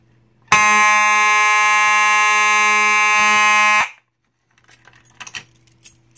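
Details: Simplex 4903-9219 rectangular horn strobe from 1997, in drill mode: loud, steady buzzing horn tone holds evenly for over three seconds, then cuts cleanly; the horn sounds correctly.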